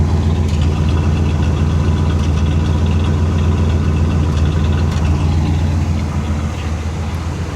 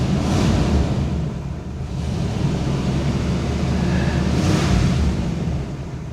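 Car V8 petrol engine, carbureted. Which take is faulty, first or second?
second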